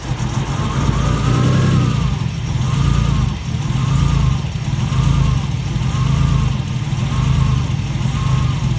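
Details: Alfa Romeo GTV 2.0 V6 Turbo, first start after rebuild with AFM-to-MAF conversion, still needing fine tuning and aux belt re-tensioning: idle rises and falls about every 1.5 seconds with deep, lumpy exhaust; hunting idle, fuelling not yet settled.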